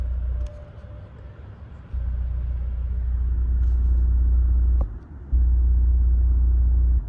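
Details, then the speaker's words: 1997 Toyota Century V12 with low km, heard from inside the cabin. The seat massage motor gives a deep hum cycling on and off with a soft rumble. Normal massage seat operation. "Oh, man. Did you hear that? It's got massage seats. I didn't know that."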